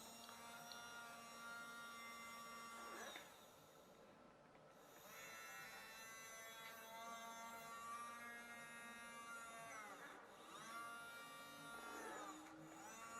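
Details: RNLI Severn Class RC lifeboat by Zappies, bench test of a small long-shaft drive motor that had failed and was previously repaired, parts temporarily held together: clean even whine dipping and recovering with speed, no rattle or scraping; running smoothly.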